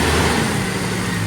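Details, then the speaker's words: 1999 Jeep XJ 4.0 straight-six, which had a tick or knock after an oil change, idling after Engine Restore six-cylinder additive: a smooth, even, steady hum with no ticking, knocking or lifter tick. It now runs healthy. "very strong no knocking no lifter tick nothing so awesome thank God"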